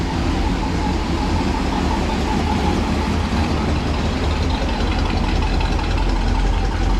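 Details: Ford Police Interceptor 312 V8 with twin four-barrel Holley carburetors (top-mounted bowls), recorded from the rear: a steady, even low idle rumble with no knocks, misses or ticks. The old V8 is running smooth and healthy.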